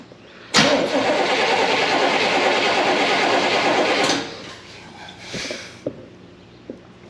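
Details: 1972 Chevy Impala parked for severe misfire, after tightening the loose carburetor base gasket: starter churns about three and a half seconds but never fires; plug wires were pulling out of boots.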